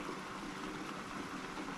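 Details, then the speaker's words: The electric intercooler coolant pump on a Chevy SS/G8 LSA supercharger swap, wired straight to the battery through a switch, gives a quiet, even hum with water trickling through the lines and no grinding or whine, circulating normally. "There's the system running."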